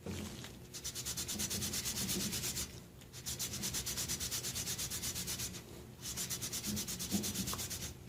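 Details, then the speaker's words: Toro 724 engine valve lapping to fix a leaking valve, guide already worn; soft, even back-and-forth rasping strokes about three a second in bursts, fine and quiet as compound breaks down, indicating a smooth lapped valve seat. "I'm going to break those particles down, make them smaller, and get a smoother finish on that seat. You can hear it's whisper quiet now."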